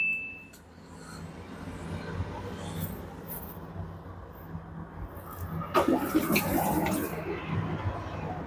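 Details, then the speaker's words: Samsung 7 kg front-load washer that would not rotate, after carbon brush replacement, on a direct spin cycle: low hum under gurgling, rushing water as the drum empties, no grinding or rattling. Drain pump working normally. "pump working already here. Could run. If it is not running, we have to go to the second step."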